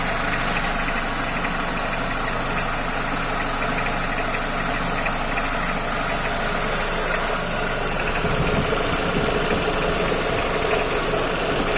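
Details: AL4 automatic transmission with loose torque converter: idling engine with fairly steady knock about three per second over the hum, easily mistaken for valves, camshafts or hydraulic lifters; torque converter knock.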